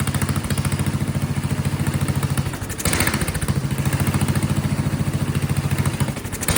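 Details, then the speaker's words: Vintage Kohler motorhome generator, big flathead single-cylinder (guessed 400–500 cc), gravity-fed: uneven thumping, speed sagging and recovering every few seconds; rough running and surging, not yet tuned. Owner suspects loose condenser/capacitor and low fuel pressure; wants choke. "The capacitor, the thing was popping off. So that's probably causing an issue. I would not be surprised."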